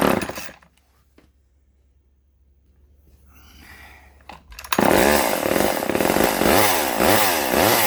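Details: Vintage Poulan S25DAV (Super 25) chainsaw after fuel line replacement: quiet priming pulls, then catches and runs with a steady rasping two-stroke buzz wavering slightly at idle, plenty of oil coming out; top cover and air filter still off.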